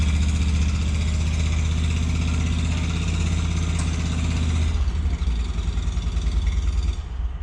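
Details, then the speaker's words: Walker lawnmower after repair with new deck bushings: steady even low idle note, settling lower near end; mower runs good and bags well. "It's all set, the thing runs good. I've cut my grass with it 2 days ago, and it bags incredible."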